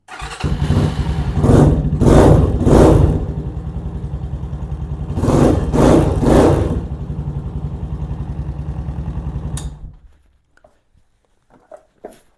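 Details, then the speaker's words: 2022 Venom Ghost Chopper 250 after gas tank removal and throttle cable replacement. Starts promptly, a few quick throttle blips, then settles to an even, steady idle with no hang-up in revs, showing the throttle slide is positioned correctly; normal start and idle. "Like I said, if you go to start it up and it just all of a sudden RPMs go way high, then you don't have the slide in the proper position. It should start and idle just like it did there."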